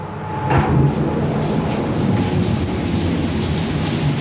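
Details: Fujitec lift (Lift A), 8-person/540 kg, floors 1-11, Blk 410 Choa Chu Kang Avenue 3, Singapore, filmed Dec 2022: heavy rumbling roar throughout travel with a faint steady whine; abnormal running noise, cause unknown.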